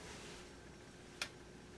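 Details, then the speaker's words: Kenmore 80 Series direct-drive washer: a single faint click as the lid closes, the lid switch just barely not engaging, so the washer fills and stops; temporarily held down with a paint can. "you hear that little click that's the lid switch just barely not engaging"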